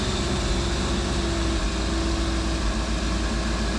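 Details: Jeep-based rat rod "Tickle Pickle" engine after major dismantling and reassembly, coolant system not yet bled: turns over and settles into a steady, even low rumble with a faint whine on top; running after reassembly.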